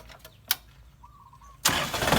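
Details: Kubota tractor diesel that would not start, after the battery ground/negative cable to the frame was added, derusted and tightened: a sharp click, a brief pause, then it catches at once and runs loud.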